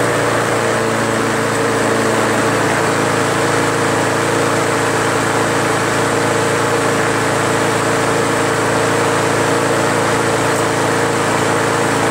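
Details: Craftsman 4.75 Briggs Quantum push mower after carb seat, gasket, air filter and governor spring fixes: even steady note at constant speed without surging; previously sluggish with high rpm, now normal running speed.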